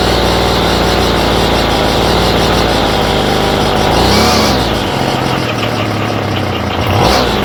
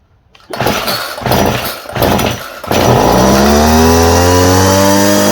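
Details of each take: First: Homelite string trimmer with a new aftermarket Chinese carburetor. Small two-stroke buzzes high and steady, then hunts and surges in slow waves, never settling to a proper idle; the idle screw doesn't touch the throttle arm. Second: Homelite string trimmer fitted with a new non-OEM Chinese carburettor, started on choke: a few sharp pull-cord yanks, then the two-stroke catches and settles into a steady, even high buzz. It starts and runs fine.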